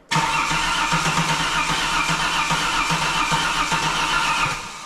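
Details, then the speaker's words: Holden VY Ecotec engine swapped into skid car, cranked with crank angle sensor unplugged to build oil pressure before first start: steady even starter cranking, no start. "I want to crank the engine first and get a bit of oil pressure up um that will cause the engine light to come on so what we'll do is we'll just crank it first"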